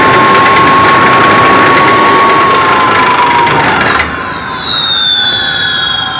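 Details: 16-pole, 32-magnet electric motor on its controller still set with the wrong pole-count programming: high whine runs fast and steady then steps up sharply in pitch as the motor races; overspeed blamed on incorrect pole settings, to be corrected.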